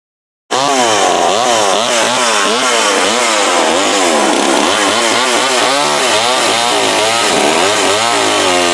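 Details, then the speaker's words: McCulloch Mac 120 chainsaw, previously disassembled, after carb adjustment-screw tuning: buzzes hard and steady with rpm surging slightly under load while cutting a board, no misses, running decently, normal running after carburetor adjustment. "That is that McCulloch Mac 120. So the thing about having me wore out, all it needed was a carb adjustment."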